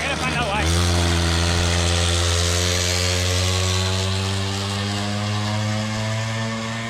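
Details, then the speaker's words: Old Bigfoot GoPed two-stroke after sitting over 4 years, untuned. Flat, weak, steady buzz that never clears out and struggles to rev freely; bogging. "yeah you can definitely hear that she's kind of struggling to run to not really struggling but not really running the way she should"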